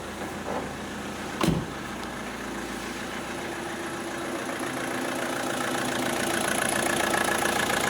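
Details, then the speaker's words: Opel Astra H 1.7 CDTI diesel after engine control unit replacement, immobilizer pairing and reflash with DPF and EGR removed (earlier misfiring, hunting idle, glow lamp flashing): brief knock then even steady idle, no hunting or misfire; normal idle. "Все працює. Навіть перестали плавать обороти."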